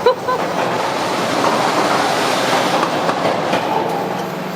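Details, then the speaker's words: Volvo truck with newly fitted diesel engine, repeated start attempts with ether: the starter drags the engine slowly with uneven chugging and a few coughs, never starting; the batteries are suspected low and the starter was getting hot. "что он еле крутит его я думаю надо подзаряжать его просели акумы уже"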